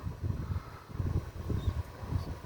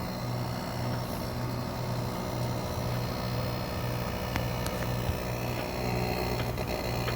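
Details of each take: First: Midea inverter split air conditioner outdoor unit, loud enough to disturb the adjacent bedroom; added double rubber pads changed nothing. Deep pulsing buzz-rumble as the cabinet vibrates against a badly spaced support bracket: vibration rattle from the outdoor unit. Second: Midea inverter air conditioner outdoor unit running normally and quietly after a folded thick rubber piece was wedged in to stop its noise; steady low hum with no rattling or buzzing from the mount.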